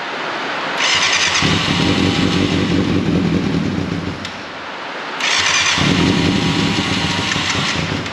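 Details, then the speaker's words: 1989 Yamaha FZR600 Genesis four-cylinder, not started in over four years, on old fuel: two short start-ups with ragged, uneven beat and dropped firing pulses; misfiring, new fuel planned; compression sounds better than expected. "a little bit of misfire there i say we get some new fuel in this and actually fire it up properly"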